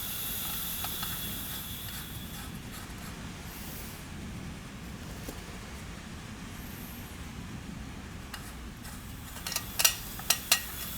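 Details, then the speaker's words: 1990 Onan P218 18 hp twin during a leak-down test on the cylinder with low compression (90 vs 120 psi): steady airy hiss with sharp ticks from air leaking past the exhaust valve, suspected carboned up. "yeah definitely get some leakage here in this this exhaust Port the exhaust port's leaking I could hear it"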